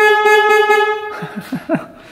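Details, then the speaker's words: 1967 Yamaha YL1 motorcycle, sat 40+ years, mouse-chewed wiring: strong steady horn blast about a second, clear even pitch; normal horn operation. "Well, that fixed that."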